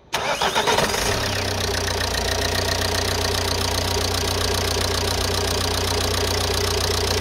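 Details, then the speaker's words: Ford Mondeo Mk4 1.8 TDCi diesel after alternator replacement: starts after a brief crank and settles into a steady, even idle clatter with no misses; charging now reads 14.2 V (old alternator gave 12 V running), confirming the failed alternator. "there you go 14.2 volts so that tells me the alternator was at fault so that's another job fixed so i'm happy with that"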